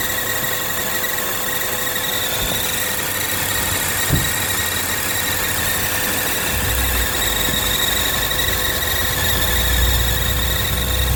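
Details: BMW E46 six-cylinder at idle: thin steady high squeal over a smooth engine note, pitch not changing; squeal from the engine bay, source undetermined.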